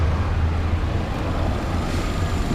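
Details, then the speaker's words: 2011 Nissan Altima 2.5 started and idling right after battery replacement: steady even low hum, no knocks or misses; normal smooth idle. "But I'm gonna make sure the car starts up. So I got the car on, it's idling. Woo."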